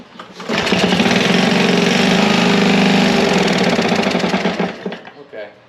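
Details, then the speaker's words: Curbside Honda push mower, reassembled and restarted on choke: starts, then a rapid regular tapping about four per second over the run; knock persists, owner says flywheel isn't loose and suspects an internal cause. "yep it's still making it nose I know the flywheel ain't loose I know everything's good there why still making that noise maybe it is internal"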